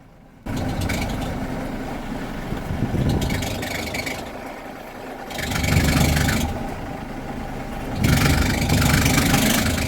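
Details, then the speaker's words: 2015 Mercedes Sprinter 313 CDI 2.1 L diesel idling in engine bay: scratchy chirping squeak rising whenever steering is turned left or right; squeak from failing alternator under steering load. "so as soon as i've tried to turn the the the steering wheel left or right i will demonstrate that to you in a minute you will hear this like squeaky noise coming out of the engine in"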